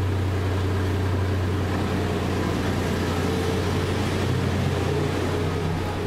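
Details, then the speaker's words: Nissan Pathfinder 4.0 V6 at 160,000 km, previously blowing smoke, just rebuilt with new rings, bearings and timing chains. First start gives a smooth, quiet idle with no ticking, knocking or misses and no warning lights; normal idle. "no warning lights [Music] nice and quiet"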